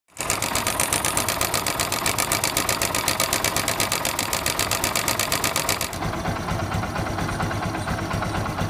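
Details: Motorcycle engine idling with fast, sharp sewing-machine-like ticking and vibration from a slack timing chain, present for some months.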